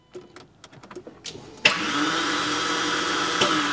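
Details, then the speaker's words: Porsche 986 Boxster with V8 engine swap, newly replaced starter motor: a few clicks then steady high electric whir with no cranking; starter spins freely without engaging flywheel. "it sounds like the starter mode's spinning but there's no there's no engagement happening the car's not kicking over anymore and this is the starter motor that i just replaced"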